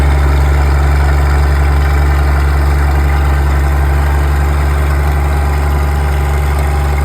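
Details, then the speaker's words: Old D6 dozer diesel being warmed up, smoking a bit, while a military D4 waits on an oil cooler repair. Deep, even low rumble, steady pulse, no knocks or misses: normal diesel idle. "the old girl does uh smoke a bit there but she sounds good and can hold her own in it big old push"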